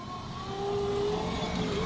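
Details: 2005 Acura power window motor after a rebuild, with brushes bent outward for better contact; even mid-pitched motor hum holding steady with a slight pitch shift under load. The window works normally.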